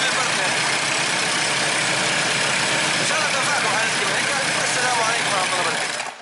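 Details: Diesel after an adjustment and a new wire to the regulator: even, steady idle clatter with no roughness or knock, running quiet and smooth, then shutting off; normal idle.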